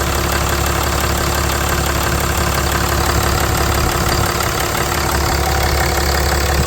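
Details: Ram 3500 just after replacing the leaking heater core supply hose, engine started to build coolant pressure: steady, even idle with a smooth deep rumble and no knocks, ticks or squeals; running normally.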